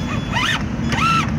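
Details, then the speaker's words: Summit RC truck slipper clutch, wheel pressed firmly upward under motor load: two short rising-and-falling squeals over the motor whir as the slipper clutch slips, which protects the gears from damage. "뭐 소리 나죠? 끼익끼익 소리. 슬리퍼 크러치 한번 들어보세요. 슬리퍼 크러치가 되기 때문에 기아는 안 망가져 좋아요."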